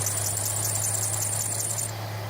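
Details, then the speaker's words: Foxbody Mustang with 2.3 engine, battery swapped in after failed push start: shrill chirping belt squeal over steady low idle, cutting off abruptly once belt dressing is sprayed on the slipping drive belt. "It's running with a terrible amount of belt squeal, but we can fix that."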